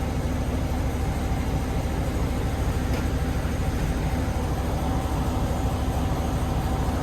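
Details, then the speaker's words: 2007 Chevy Tahoe V8 with coil-on-plug ignition, slight rough idle and no codes, idling in reverse against the brake: uneven lumpy rumble from a cylinder 3 misfire, not fuel related; a weak ignition coil is suspected. "all right so our number three cylinder has some type of issue obviously we are reading that now we're gonna take the vehicle put our foot on the brake and we're gonna put it in a reverse so it's under a little bit of a load and see if we get any more on our counter"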